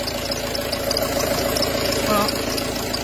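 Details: Peugeot Partner 2.0 HDi 90 diesel at idle: steady whirring ring with light irregular knocking from the front accessory belt; worn accessory belt tensioner pulley sitting crooked relative to the pulley axis.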